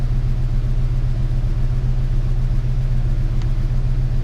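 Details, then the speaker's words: 1998 Ford Ranger 3.0 farm truck (swapped engine) after fix for rough high idle: steady low even idle, no hunting; scan tool shows 880 RPM, idle air solenoid 34%; running better. "I don't know if it's correct or not but it is definitely running better"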